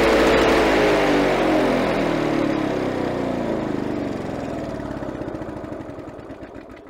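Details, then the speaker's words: Victa Power Torque VE40 two-stroke mower after replacing carburettor main jet (engine was flooded at first): even firing beat gradually quietening as it settles; runs properly. "so after replacing the main jet the engine wall didn't start straight away because the the engine was already flooded so after a couple of uh retry so now if we start the engine should start straight away"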